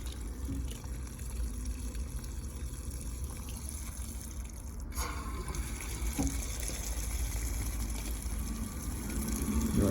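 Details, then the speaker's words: Tankless water heater test run after its annual flush: water rushes steadily, then a soft whoosh rises as the exhaust fan kicks up and the burner engages, and the exhaust pipe gets warm; the heater is firing normally. "So you will hear the exhaust kick up, the heat engage."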